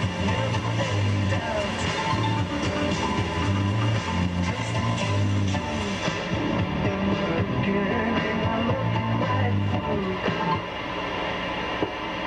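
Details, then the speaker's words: 1959 Zenith hi-fidelity radio after replacing the old electrolytic can capacitors, no loop antenna connected: music plays clean and full through the speaker with no hum, crackle or distortion; normal playback. "Okay. Turned out really nice. It was give me a little fit getting these capacitors in, but it's playing now."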